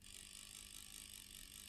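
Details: Bose 3-disc CD changer, small internal motor powered on the bench at 4 volts: thin gritty grinding with a fast ratcheting buzz from its gear train, caused by a sticking gear.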